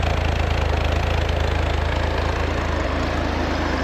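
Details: Chevy 250 cubic inch inline-6 on a cold start, after a reversed distributor firing order was fixed. A steady, even low rumble with no knocks or misses; vacuum reads about 16–17 and the choke is slowly opening.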